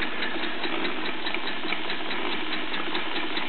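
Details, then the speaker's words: Bowman M101 stationary steam engine, first steaming since major refurbishment (Nov 2008), freshly repainted firebox, steam tight: soft, even chuffing of the big long-stroke piston about 150 beats a minute with light countershaft whir, solid brass flywheel; normal running. "It's a lovely characteristic sound. You can hear the whirring of the counter shaft and just the chuffing of that big long stroke piston."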